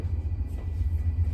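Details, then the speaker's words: 2010 Chevrolet Equinox after leaking exhaust repair with replacement part fitted (one rear spot still to be welded): deep smooth low rumble from tailpipe, no ticking or puffing leaks; exhaust sealed and quiet. "difference guys i don't know if the video as i said last time does it justice but it's so quiet"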